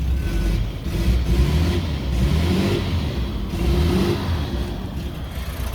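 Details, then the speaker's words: Ex-VicPol Ford XG divisional van after its catalytic converter was jet-washed and refitted with the oxygen sensor back in. A low, smooth rumble swells and falls with gentle revs, exhaust much quieter with no rasp or blowing. Owner thinks it is flushing some water out. Normal idle and rev. "Much more quieter. Probably flushing a little bit of the water out a little bit."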